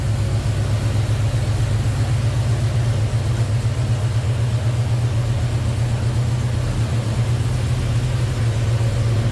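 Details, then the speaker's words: 1966 Chevrolet C10 Custom Cab idling, fitted with a Holley 4-barrel, headers, HEI ignition and an aluminum radiator: deep, even V8 idle with a steady lope and no knocks, ticks or misses; sounds healthy. "Sounds good, looks good underneath there. 1966 Chevrolet C10 custom cab."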